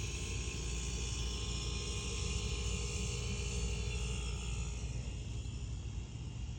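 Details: Refrigerator compressor run directly on a jumper lead with control board removed, fan not running; low steady hum and even mechanical drone, no knocking or clicking; compressor running normally, owner suspects start device or board.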